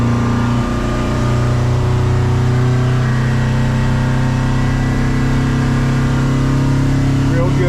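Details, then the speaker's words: Boat with Yamaha F150 outboard on water test, running at 26 while trimming up; deep steady engine drone at even speed under load with water rush, running smoothly at planing speed. "Good. We're at 26 to trim it up. So that part works good."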